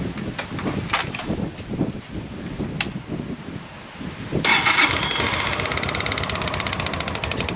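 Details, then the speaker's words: 1998 Honda PC800 motorcycle after fuel pump replacement: some handling knocks, then a steady beat of about three per second as the new pump primes and pushes fuel up, working normally. "hear that noise it's pumping that fuel trying to get that fuel up there but it's working"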